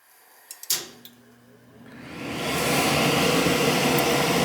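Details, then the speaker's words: Gas boiler with no heat: a few clicks, then the inducer fan spins up to a steady whoosh with no burner ignition; control board found faulty. "alright guys we've got a bad board here"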